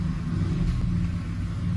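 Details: 2007 Ford F-150 5.4L 3-valve V8 brake-torqued in gear after fixing the loose cylinder 2 spark plug behind the P0302 dead misfire: deep, even rumble held steady under load, no stumble or skipped beats, running clean.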